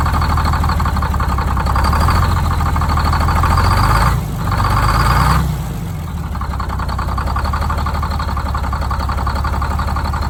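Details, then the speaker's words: Detroit Diesel 6-71 first start after a new 4-valve head install, valve cover off, idle set with the buffer screw: even, steady two-stroke idle that sags briefly then settles smooth and regular; normal idle. "so I can't rev it up without the valve cover on, but it evened out pretty good there. Got the idle set."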